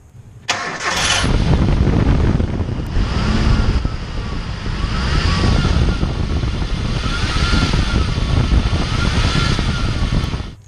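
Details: Engine started and revved: a thin whine from the accessory belt drive climbs and falls with each rev, caused by a worn pulley bearing.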